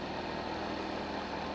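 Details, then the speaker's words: Calore space heater that gave no heat or power light, after repairing a faulty internal wire, running on high wattage with heat on: steady, even rushing of air over a low constant hum, no rattle or scrape, blowing heat; normal fan operation. "okay that's fan heat off put on high wattage can you hear that it's blowing heat"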